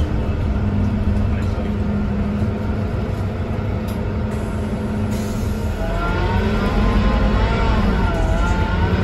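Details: 2009 Scania K230UB bus, Caetano City Gold body, Scania DC9-16-230 engine, ZF Ecomat 4 6HP504C gearbox, recorded on board in service: steady diesel drone with a faint rising whine under load; odd engine noise, cause unclear.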